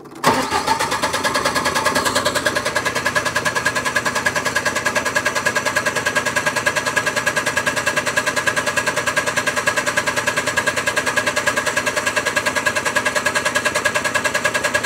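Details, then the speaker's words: MEP 1040 military generator on auxiliary fuel adapter kit drawing from tank, priming system: steady cranking about 200 per minute for fifteen seconds, never catching, still fuel-starved; cranks but won't start yet. "still starving for fuel but we'll give it a second give it some more time to get fuel over there"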